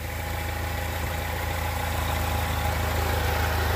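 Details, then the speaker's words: 2003 Chrysler Sebring 2.4L: smooth, even idle with steady low rumble, no squeal or chirp; earlier noise went away, AC on made no difference. "so everything looks good and the noise pretty much went away on its own didn't seem to make a difference hooking the ac on"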